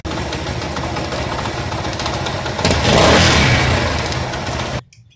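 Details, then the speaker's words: Motorcycle engine: rough, raspy run with uneven thumping that swells on a throttle blip before shutoff; cylinder head gasket is bad and leaking pressure. "तो कि यह gas kit ज्यादातर और खराब हो जाए तो आवाज करता है और प्रेशर लिए करता है"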